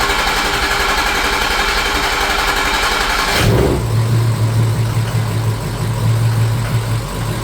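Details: 2006 Ford F-350 6.0 Powerstroke diesel after high-pressure oil O-ring repair, second start with vent tube now routed: short crank, then catches at once into a steady, even idle; starts cleanly and runs right.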